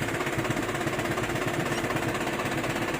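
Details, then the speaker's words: Isuzu 4JB1 diesel truck idling after clutch repair: steady even idle with a low throb, no gear rattle. The transmission noise that vanished when the clutch was pressed is gone; normal transmission noise at idle. "wala na. Oh, normal na normal na siya."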